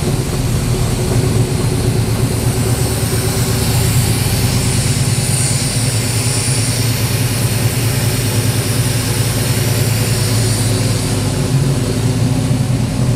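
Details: 1977 Nova V8 at first start after a FiTech 800hp MeanStreet EFI install, idle set to 900 rpm: a deep, even burble at steady idle with no misses, knocks or ticks. Normal idle.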